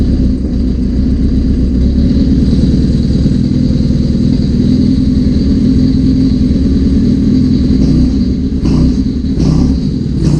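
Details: 1981 Suzuki GS650GL during rebuild with new battery, plugs, oil, filter and pod filters: loud, steady four-cylinder run on choke, even low beat with a bit of clatter, no misses; normal running, small carb fuel leak suspected.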